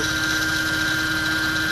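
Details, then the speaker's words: 2008 Mercedes C300 at idle after adding power steering fluid: steady high-pitched whine holding one pitch from the right-side accessory area near the pump; suspected failing power steering pump. "whiny noise on the right side here, and power steering is down there. So as I listen more to it, it's coming down here where the pump is. My guess is that the power steering pump is no good."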